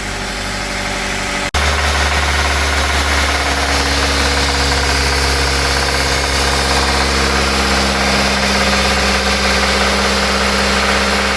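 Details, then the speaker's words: 2008 Suzuki SX4 2.0L J20A petrol 4-cylinder, on start: catches and settles into a fast, hard rattle from the bottom end that follows engine speed, worse as revs rise; rod bearing knock, bearings and head gasket to be replaced. "so this car had a bad rattle noise uh the bottom in it's a baring noise when we start it"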